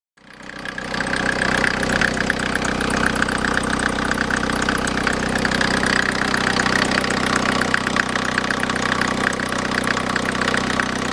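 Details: Idling engine with steady high squeal and whistle from the accessory drive (alternator) belt, which is too stiff; spraying water on the belt stops the sound, squeal worse in damp weather.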